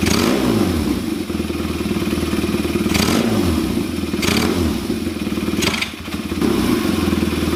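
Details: Kawasaki KZ400 on bench, Mikuni VM30 carbs, 2.0 slides, needle second clip from bottom, number 20 idle jet: rough uneven revving with stumbles on throttle blips, then back to idle; lean bog on snap throttle.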